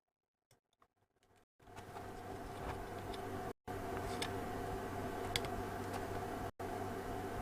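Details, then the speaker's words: Desoldering tool pump drone with brief cutouts and strained, choked sound while working on an A205 amplifier from a Hacker Herald RP37A radio; nozzle blocked, pump cannot draw. "Sounds like it's blocked as usual. Let's just unblock that. He says, easier said than done. No, game over. Desoldering tool is blocked."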